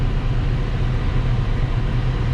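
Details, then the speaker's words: Grand Prix running again after a new starter, AC on and fuel low: deep, steady low rumble with an even beat and no misses, knocks or starter grind. Mechanically sorted; normal idle. "so that is almost the conclusion of this car um only thing we've got left to do is sell it so everything mechanically it's pretty well sorted"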